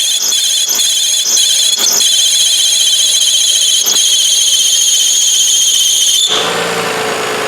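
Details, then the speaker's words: 2002 Toyota Avalon running: a high, steady squeal with faint pulsing that sounds like the drive belt but comes from the AC compressor itself, diminishing but not gone with the clutch off. AC compressor noise; compressor replaced. "It sounds like it's a drive belt, but it's not. It's actually the compressor itself that's making the noise."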